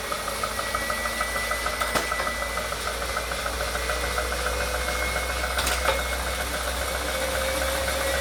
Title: Wahoo Kickr Core whining/knocking sound